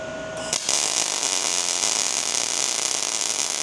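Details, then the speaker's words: MIG welding arc with a smooth, even frying crackle: voltage correctly matched to wire speed, versus a sharp sputter when voltage is too high and slow popping when too low. "Dial it until you hear the steady bar. That's the zone."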